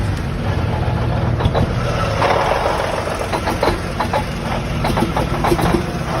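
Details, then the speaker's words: Cummins N14 diesel with failing camshaft position sensor (on driver's side near fan end of block): deep rumble with uneven, stumbling firing and irregular lumps instead of a steady beat. "And the last most common issue in the Cummins N14 is camshaft positioning sensor, and when it's going out, it kind of sounds like"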